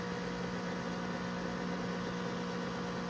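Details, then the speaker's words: Macintosh SE, dual floppy drives, 30 MB external hard drive, booting System 6: steady loud hum with low drone, no pitch change; owner believes the fan is abnormally loud, suspects dust needing compressed air; loud cooling fan noise. "Nobody can tell me that that's normal. I knew that the SE fans were loud, but that just doesn't seem right."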